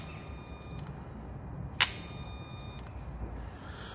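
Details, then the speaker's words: Peugeot idling with sharp, irregular clicks over a low rumble from an EGR valve motor that works only intermittently, matching intermittent fault codes P0489, P1162, P0405; EGR valve to be removed. "So what we've got is that EGR valve motor is not working all the time, it's intermittent, as the fault codes were a lot of the time intermittent."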